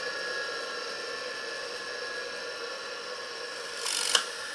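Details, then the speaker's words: Rebuilt single-phase 2 HP (2CV) high-voltage motor switched off and coasting down: faint fading hum, then a brief rasp and sharp click as the centrifugal start switch (relay) re-engages; normal operation. "aí escuta agora o barulho quando o relê desarmar"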